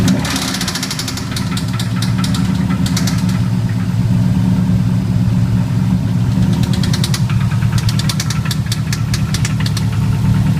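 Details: Built Subaru EJ257 WRX engine with Manley internals idles steadily with bursts of sharp, quick ticking knocks; owner says it doesn't sound like rod knock or lifter noise, cause unknown.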